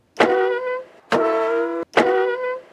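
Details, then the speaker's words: Winnebago Revel EuroLoft motorized bed moving up: three loud tonal squeaks under a second each, worse after the bed sits in one position a while, traced to the belt at the brackets; fixed with felt and double-sided tape. "a viewer of that video noticed that squeaking noise that the bed makes when it moves up and he asked me in the comment section if I knew where that sound came from and how to fix it"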